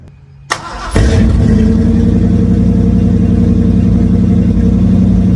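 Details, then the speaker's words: 1976 Ford Granada, 351W V8, first start on newly built 3-inch exhaust with old 2-chamber Flowmaster, tailpipe not yet fitted: brief crank, then catches into an even, deep, loud burble with no misfire or ticking; runs fine. "little girl ain't running too bad"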